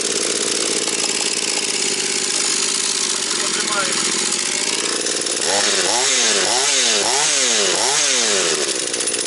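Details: Husqvarna 240 chainsaw restarted after carburettor retuning, idle to be raised slightly as it is still bedding in: small two-stroke buzz, then quick throttle blips about three a second that rise and drop back cleanly; runs normally.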